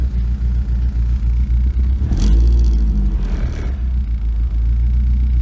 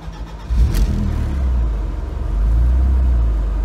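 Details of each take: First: BMW E36 318is first start after cooling-system plastic connector replacement and starter wire reconnected: heavy low rumble with uneven surging two to three seconds in, then lumpy running that clears up a little; rough running. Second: BMW E36 318is after replacing a failed plastic cooling-system heater connector: short crank catches at once into a deep, even rumble with no stumble or misfire; clean, healthy start.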